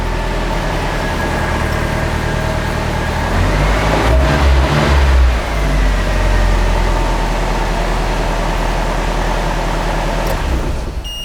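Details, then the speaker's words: 1995 Nissan 240SX engine in a 1997 S14 shell, third start after reinstall with the brake booster vacuum line reconnected; catches, settles to steady idle, swells smoothly through one rev and back, no misses or knocks. Runs properly. "So round 3. There we go, that sounds proper."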